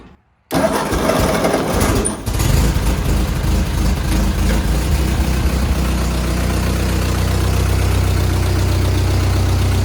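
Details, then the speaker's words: 1948 Ford 8N tractor, no-start after ignition tune-up now corrected: brief crank, catches and settles into even, steady idle with no misses or knocks; normal start and idle. "the sound we were supposed to hear several weeks ago. And in the end, the tune-up probably taught me more because it went wrong than it would have if the tractor had fired immediately."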